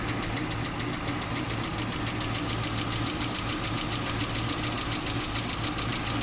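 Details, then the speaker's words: 2015 Chevy Camaro SS RS convertible V8, first start after sitting, on old gas, charging 14.5 V, good oil pressure: idles not quite right with a light, fast top-end tick over the rumble; owner suspects lifters. "It's not running ideal, but it's running on old gas. There's a little bit of ticking. That might be from lifters."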